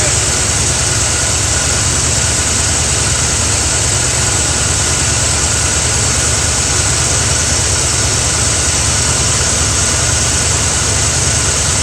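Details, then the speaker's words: Carbureted Mustang idling at night: loud hissy background with irregular dips as one cylinder drops out; driver-side spark plug wire arcing to the header grounds that cylinder, causing misfire and erratic idle; wire to be replaced. "it's arcing on that header and what it's doing is each time it hits that cylinder it's trying to shut it off it's trying to ground it out hence the misfire or the erratic idle"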